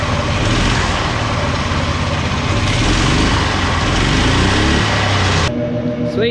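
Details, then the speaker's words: 18 hp go-kart small engine, throttle return spring refitted: revs and runs smooth with a steady beat, then settles to idle; nothing rattling or hunting, idles fine and stops on its own. "I think that's everything I need to do to it right now. It stopped on its own, it idled fine, brakes worked fine."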